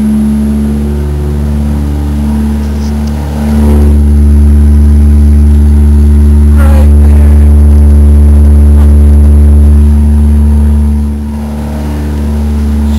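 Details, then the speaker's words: Car with leaking exhaust, started at about 70°F, not a cold start, before temporary repair: loud, raspy engine rising on a rev and settling back, far too loud; runs well otherwise, exhaust leak. "Just a quick before and after here. You guys can hear how loud it really is."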